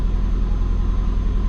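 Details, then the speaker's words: Twin turbo Subaru after base timing rescale, warm: steady fast low-rumble idle around 1000 rpm that won't settle lower, no misses; high idle, owner suspects injectors can't allow lower, cause unclear. "I don't think the injectors will allow it to get down that low."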